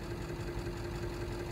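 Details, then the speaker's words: Bobcat 543 with 2-cylinder Isuzu 2AA1 diesel that is hard to start cold and needs 20–30 seconds of glow plugs. Cold idle is uneven with a knocking low thump and no steady rhythm. Suspected low compression, glow plugs or air in fuel. Rough running. "there she goes oh not quite give her a little bit more glow plug she loves the glows"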